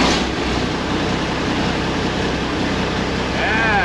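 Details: 1986 International dump truck, L10 Cummins diesel, restarted after rewiring fuel shutoff solenoid to a fuel on/off switch: deep steady even idle rumble, no misses or knocks; normal running.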